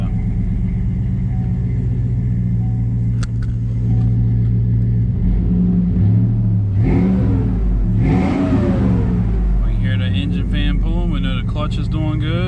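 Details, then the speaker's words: 2004 Chevy Tahoe flex-fuel after fuel pump repair for a no-start: smooth idle with fan roar, two clean blips rising and falling quickly, crisp throttle response, no misfire; good oil pressure, charging, warming up; normal running. "got a good throttle response"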